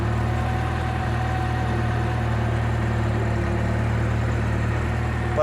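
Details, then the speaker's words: 2022 Lada Niva Travel at 22,308 km. Recently noisy at cold start (owner suspects hydraulic lifters or chain), then quiet. Idling afterwards: steady, smooth low hum with no ticks, rattles or knocks. Normal idle. "а потом все нормально никаких звуков не эту штуку смету нормально вот так вот двигатель работает"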